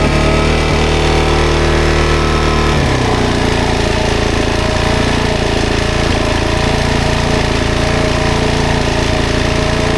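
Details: 2007 Suzuki DRZ400S, 11,000 miles, cold start on choke after carb cleaning: single thumps steadily at a fast cold idle, beat settling smoothly after the choke step; normal, pretty good cold idle.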